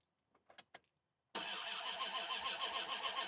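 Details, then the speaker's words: 2001 Dodge Ram with a crank-no-start after earlier distributor trouble: the starter cranks at a steady beat but the engine never catches, with no spark, no injector pulse and no RPM gauge movement. "I got no spark, no injector pulse. So the first thing we're going to do is check for some crank sensor signal on this thing and go from there."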